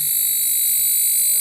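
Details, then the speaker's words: Chinese CRT TV chassis kit at power-on: loud, steady, piercing high-pitched flyback transformer whine with faint higher tones; the 1802 input transistor would heat and blow if left running about 10 minutes. "आप ऐसे ही इस TV को एक 10 minute के लिए चालू कर दिया ना, चालू करके रखेंगे तो इसका इनपुट ट्रांजिस्टर हीट होके उड़ जाएगा। 1802 ट्रांजिस्टर, आप सुन लिया ना इसका साउंड, इसका इनपुट ट्रांजिस्टर।"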